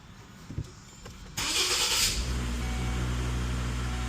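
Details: 2015 Volvo S60 after no-crank no-start fixed by replacing faulty positive battery cable to starter (starter already replaced): brief crank, engine catches first try and settles into steady, even idle; normal crank and start.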